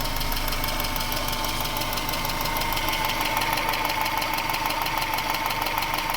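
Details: 1996 Subaru Legacy Outback 2.2L EJ22E, 165k miles: crisp even ticking about three per second over smooth idle, speeding up with revs, cold or hot, equal both sides; began around last oil change with different filter; owner suspects injectors or valves.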